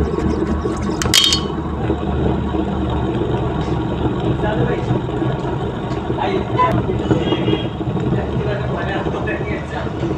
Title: Honda city humming noise||wheel bearing sound.wheel shake.